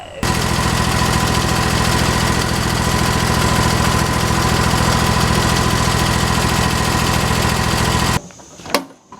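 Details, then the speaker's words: Scag mower with Kawasaki FX691 engine after a charging fault, possibly a dirty terminal, now charging at about 14.2 V: steady even engine beat holding its pace to shutdown, no misses; normal idle. "all right so as you can see the um the mower is running great it's charging it's staying charged"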